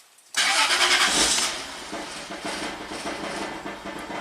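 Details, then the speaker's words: 2002 Toyota 4Runner SR5 4WD, 3.4L 5VZ-FE V6, 175,000 miles, restarted after about 30-minute hot soak: long crank then ragged, hesitant open-loop idle; fuel pressure or wrong aftermarket injectors suspected, unconfirmed. "okay so it started up but it's kind of reluctant open loop"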